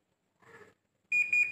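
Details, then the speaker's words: Samsung split AC after installation, remote previously not working: faint click then clean steady half-second high beep as unit switches back on after being turned off, showing the sensor works. "di sini bisa hidup ya artinya sensornya juga enggak ada masalah"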